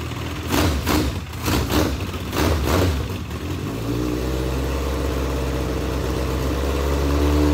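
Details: Legends race car after motor swap, first start: uneven surging bursts settling into a lumpy, loping idle; carburetor flooding with fuel despite only a two-pound fuel pump, carburetors to be pulled.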